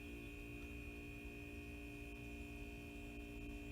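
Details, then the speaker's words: Kegerator fridge compressor after fitting a bullet piercing valve and a side-leak putty repair: steady low hum with a couple of constant tones, no knocking or rattling, running normally; owner judges the sound no problem. "sound wise it's not a big deal so if it's not anything that's going to harm the kegerator and it's a fix"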